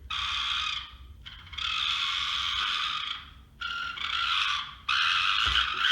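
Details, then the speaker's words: Rochobby Katana RC crawler with a new ESC, receiver and Hobby Plus FF030 motor; ESC whine is gone. Loud, high buzzing whir in bursts at slow crawl, from the interior, not the body; off-center motor shaft vibration carried through the gearbox. "But if you'll notice, it's still pretty loud. And I think I've got a solution for that. It's not coming from the body shell, it's coming from the interior."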